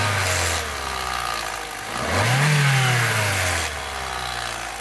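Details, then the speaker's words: Old petrol car with leaking oil pressure sensor: catches after cranking, flares briefly, then uneven, lumpy stumbling run; three of four cylinders misfiring, owner suspects a broken piston ring, unconfirmed. "so there's three out of the four Pistons are misfiring yeah which I don't know why I think it's a um broken piston ring"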